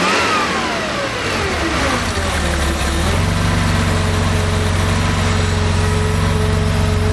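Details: Rebuilt Porsche 2.7 L CIS-injected engine, before decel valve adjustment: revs up, then pitch falls fast and dips briefly as the throttle plate snaps closed before steadying at idle; returning too fast, decel valve needs adjusting.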